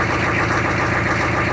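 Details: Humvee diesel started with newly installed keyed ignition switch: steady even diesel clatter at idle, no misses or stumbles; running cleanly and healthy.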